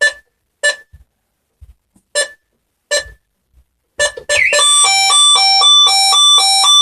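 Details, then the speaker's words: Burglar alarm panel's internal sounder in test mode, recorded with the window open: several sharp two-note chimes, then a loud sustained stepping tone held for seconds, audible through the whole house. The panel chime works properly. "keep that going for a bit you can actually hear it for the whole house and so that's the internal bullsey"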